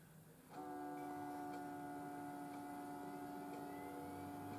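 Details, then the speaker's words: Desktop PC power supply started by jumping the green and black wires of the motherboard plug: soft click, then a steady, clean hum as the fan and hard drive spin up; normal. "hard drive is starting I can hear it as soon as I take it away it stops"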